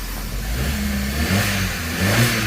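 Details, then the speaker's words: 2012 Fiat 500 with a replacement engine that had sat for over a year, just installed and first started, smoking off excess oil: short smooth rev blip rising and settling evenly with no rattle or stumble; runs much smoother than the old engine. "oh she's so much smoother than that other engine"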